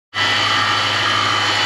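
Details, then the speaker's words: Toyota/Lexus 3UZ-FE V8, before repair; steady unpleasant high whine over an even idle from a worn accessory belt idler or tensioner bearing. "I'm not sure this noise is going to pick up but it's not pleasant lots of noise"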